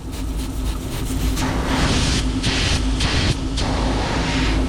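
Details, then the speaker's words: AAON 18-ton packaged rooftop unit, one of two circuits flat, unit at 50% capacity: a loud rushing hiss surges in waves over the running unit as refrigerant escapes through a fractured pipe bend. Over 100 lb of pressure was lost quickly. "Oh, I think I do now. Yes, right here. The pipe fractured right here. Fracture, wow."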